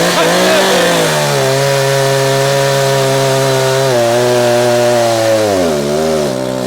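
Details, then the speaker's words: Echo CS-590 two-stroke chainsaw cutting wood during carburetor tuning, with the high-speed screw a quarter turn too far left. The steady high buzz sags and burbles lower twice as load comes on; rich high-speed mixture, to be leaned a quarter turn. "alright, let's try one more quarter to the left on that high end. Alright, see there, I've got too fat. So the high end, we're going to go to the right, lean her out a quarter."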